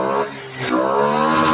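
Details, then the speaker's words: Honda Scoopy FI (ESP) scooter after fixing hesitation on initial throttle and an 8-blink MIL (TP sensor) code, DLC reset: single-cylinder dips then picks up quickly to a clean, even rev with no stumble; throttle response now healthy. "Ketika kita gas blayer itu si gasnya responsif banget ya. Beda dari yang sebelumnya tuh. Sekarang mah responsif tuh."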